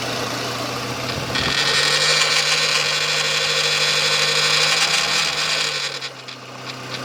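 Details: Renault Espace III 2.0 16v: loud rushing hiss rises over low idle drone for a few seconds then dies away; abnormal engine noise, cause unclear.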